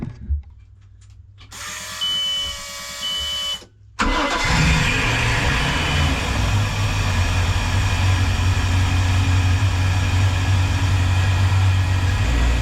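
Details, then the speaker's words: Volvo Penta 5.7 V8 in a 2004 Chris Craft 33 Express Cruiser, started after a neighbor fitted the serpentine belt despite a broken tensioner adjustment square and hoses were reconnected. A warning beep, a short crank, it catches at four seconds, then a steady, even idle. "and we're finally ready to get back on the water after several weeks of trying to get everything ready so we're going back out so we have the engines running"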